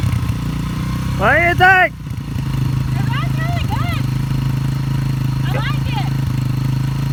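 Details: Yamaha TTR 125 flood-damaged and previously seized, freed up and revived: small single-cylinder idles with a steady, even putter under a barking dog. Normal idle.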